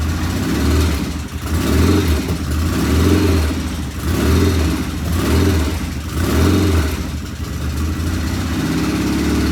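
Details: 1975 Norton twin on first start, checking oil flow: lumpy idle with revs swelling and sagging about once a second, one loud tappet and something occasionally not right; uneven running.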